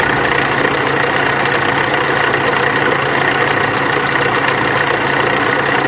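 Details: VW Amarok turbo diesel: loud idle with rough uneven knock about three per second over constant hum; cam pulley and high-pressure pump timing found out, water pump leaking heavily and worn.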